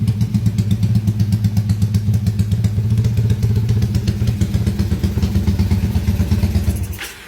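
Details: Motorcycle engine rebuilt under warranty after a 68 mm LHK piston smoked and failed, now on a 70 mm Scorpio piston: loud but even thumping at about four beats a second with no knocks or rattles, then it cuts off cleanly. Healthy.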